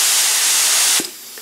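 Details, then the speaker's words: Paint spray gun fed from a compressor (about 110–115 psi) through a regulator and desiccant line filter, which back-pressures the line to about 48 psi. A strong, even air hiss drops abruptly to a much weaker one as the filter restricts volume and flow. "you can hear the huge decrease in volume and decrease in flow"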